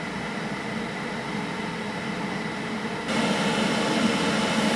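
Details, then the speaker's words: JP Heaters 2kW diesel air heater in a bus: after running quiet on low setting, temperature turned back up so it adds more fuel; soft hum steps up to a louder, fuller blow; normal ramp-up. "and then if i turn it back up [Music] it will start adding more fuel and start turning back up again"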